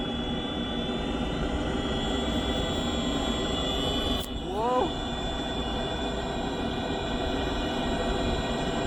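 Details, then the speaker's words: Webasto Thermo Top V fuel-burning park heater on a Land Rover Discovery 4, start-up: humming, then it lights with a steady even roar and a rising sweep as fan speed increases, some smoke; normal start-up. "we'll hear it when it goes it should start smoking it's heating up oh the speed's increased"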